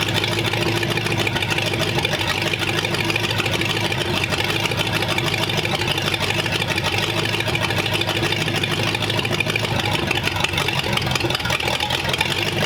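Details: Engine after good compression test, 35 psi oil pressure, now idling with water in it: even, steady idle with smooth patter and no misses, knocks or squeals; healthy.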